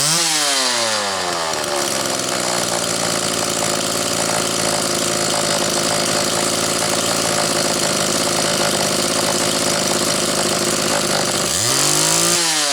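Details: Homelite XL chainsaw after the Zama C2S-H5A carburetor rebuild with the inlet needle spring correctly placed: it blips down into a steady, slightly burbly idle that loads up a touch on extended idling, then picks up cleanly at the end; carb tune acceptable.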